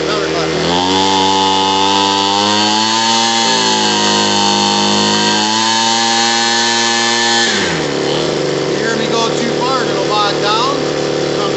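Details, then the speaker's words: Homelite 26B blower after carburetor and fuel line replacement: carb adjusted with a Pac-Man adjustment screwdriver, now a steady high two-stroke scream at full throttle without bogging, then shut off; normal full-rev running. "Clockwise, so it's full rev. That's perfect."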